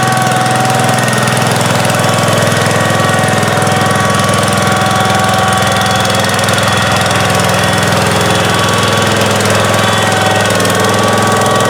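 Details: 1971 John Deere 140H3, Kohler K321 single-cylinder, after carburetor rebuild and new float fixed fuel pouring from carb: steady, even putter, no misses, stumbles or surging; normal running.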